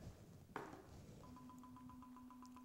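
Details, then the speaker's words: RuBee tag read by RuBee demo-kit base station after antenna tuned and finder set to tag address: after one knock, steady short clear pings about seven a second, each an individual successful tag read; reader working normally. "you hear that pinging sound each one of those pings is a read of is an individual read of this tag"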